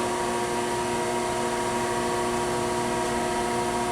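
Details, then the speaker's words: Chevalier FSG-1236AD 3-axis hydraulic surface grinder, grinding spindle running on its own with the hydraulic oil off: steady smooth hum of constant pitch, no knocks or rough grinding; the spindle sounds good and runs clean. "sounds good that said we'll let that wind down a little bit kind of listening to it up close widening down but it sounds nice"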